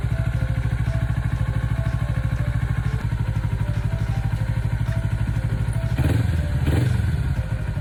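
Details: Kawasaki Ninja 400R 400cc (registered 2013, 7 years old), started after about 3 months unused despite feared flat battery; even, steady twin idle with regular firing pulses, no knocks or misses, settling cleanly: normal idle.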